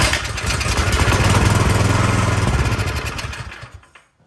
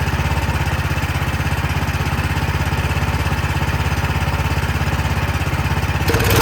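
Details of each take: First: Cub Cadet snow blower that would not start, cover off, key in run: engine catches on starting fluid sprayed into intake, quick even pops for about three seconds, then dies as fluid runs out; fuel starvation from dirty carburetor, carburetor to be cleaned. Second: Cub Cadet snow blower single-cylinder engine after cleaning a dirty carburetor, primed, in run position and not choked: steady, even drone with a constant beat, then a clean shutdown; running properly.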